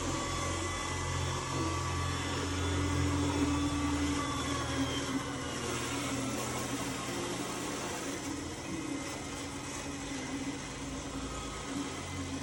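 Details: Roomba S9 robot vacuum running with a steady motor hum and a rough grinding rattle while cleaning; the owner wonders whether the wheels are the cause or whether it is common, unconfirmed.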